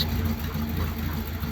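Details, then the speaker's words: Ford Thunderbird, not run for ages and untouched before first start, no choke: cold engine idles a little rough, a low rumble with a faint stumble in the beat. "too bad was it considering i didn't do anything to it the idol's a little bit rough it hasn't got a choke"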